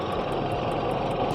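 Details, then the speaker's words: Evaporative air cooler fan after repair, rear cover still off: steady even rush of air and normal motor sound, no grinding or rattling; the loud noise came from the squirrel-cage blower wheel spinning loose on the motor shaft. "ตอนนี้ไม่มีเสียงแล้วครับที่แบบดังแบบมากๆเลยนะครับถ้าตรงนี้คือเสียงมอเตอร์เป็นเสียงปกติของมาให้รวมนะครับ"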